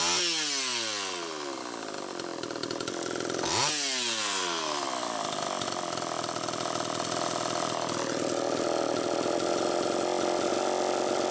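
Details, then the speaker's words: Homelite Super EZ chainsaw after the carburetor was fixed and the high needle reset from about four turns out to one; revs up and falls away twice, then holds a high hunting scream, tuning shifting as it warmed, lean. Flywheel-side crank seal leak suspected. "that carburetor had a problem but i also believe that the crankshaft seal is bad so as you could tell you know it was the tuning as it warmed up changed that's one indication"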